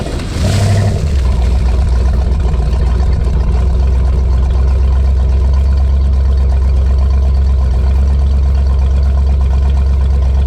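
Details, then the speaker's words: 1988 Ford 351 Windsor carbureted PleasureCraft Marine V8 in a ski boat, extremely cold first start after winter storage, no mufflers; catches after brief crank, settles to loud deep even burble, may smoke from fogging oil; normal cold start and idle. "so you can see a extremely cold start on an old 1988 351 Windsor with no mufflers."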